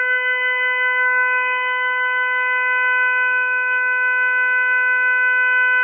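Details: Hot water tap running: loud, steady, horn-like tone that holds the same pitch throughout. The honking is unexplained.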